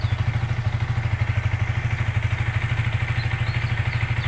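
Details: Yamaha Vixion fuel-injected motorcycle at 5,500 rpm while the CO setting is raised to 27–28 with an iQutech diagnostic tool: slightly uneven single-cylinder thump at about three beats per second; the engine sound changes with the mixture adjustment.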